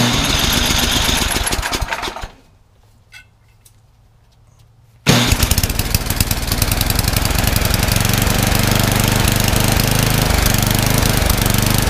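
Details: Craftsman 31AE5HTG799 28-inch snowblower, 9 hp Tecumseh Snow King engine, sat unused for years; after new carburetor installed, fires, dies after two seconds, then restarts and holds steady regular chug at fast idle; runs properly.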